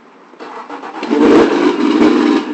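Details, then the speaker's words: Suzuki DF four-stroke outboard, IAT sensor found loose and refitted, chemicals added, throttle fully down, about 60°F outside: a few quick cranking beats then catches within a second and settles to even running; starts fast, problem solved. "actually with all the chemicals in is starting so fast amazing"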